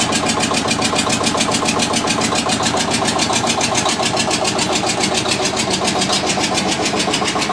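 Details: Witte diesel generator, unstarted 45 years, refilled with water and three gallons of oil: slow even chuffing about three and a half beats a second, steady and firm; engine fine but generator gives only about 2.5 V versus ~64 V expected.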